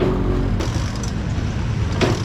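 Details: Barako single-cylinder motorcycle engine after rebuild with a 450 Makoto piston, previously very noisy: runs at a low, steady idle with an even beat and no rattle or knock; sounds sound.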